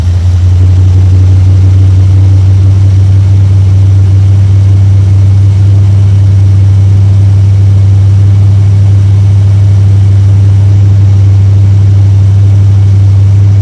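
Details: 1972 Chevrolet C10 V8 running warm after a start on a battery charger, briefly flooded first; good oil pressure, loud deep even exhaust rumble with no misses or knocks: normal V8 running.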